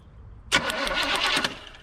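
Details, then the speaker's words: 1972 Chevy C10 crate 350 that has sat 8+ years, cranking after petrol was added: about a second of cranking at roughly seven beats a second with sharp crackling snaps on top as spark arcs off the plug wires. "I seen Firefly right there somewhere oh jump plug wires arking off yeah"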